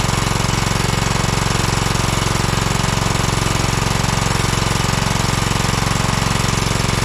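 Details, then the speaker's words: 2012 Toro Timecutter SS 5000 (model 74630) twin, oily plug swapped for a new one: lumpy, uneven thumping; still firing on one cylinder only; owner suspects weak coil spark. "yep only running on one even with a different spark plug so that coil could be going out"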